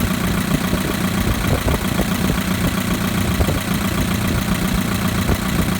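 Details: 2011 Chevrolet Equinox LT, 2.4L, 132,000 miles: steady low idle with a light, uneven tick riding on top at roughly three to four per second; ticking noise, cause not pinned down.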